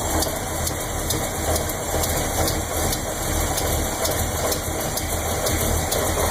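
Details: Chevy 400 V8 (10.5:1, Lunati Voodoo cam 233/241 @.050, .505/.526 lift, Comp roller-tip rockers) at idle: steady light lifter tick on the even-side bank. It is barely audible at 900 rpm, clearer at 700 and pronounced at 500. Lifters were rechecked twice and barely needed adjustment.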